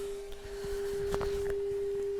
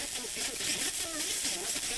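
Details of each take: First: Pioneer SX-1250 receiver after tuner servicing, FM tuner fed a 15 microvolt test signal: a clean, steady mid-pitched tone with a few light static pops behind it. Normal FM reception of a weak signal. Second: Pioneer SX-1250 receiver FM tuner, station with bad multipath during service tests: heavy hiss over garbled, swishing audio phasing in and out, the phase difference between the reflected and direct signals; FM multipath distortion.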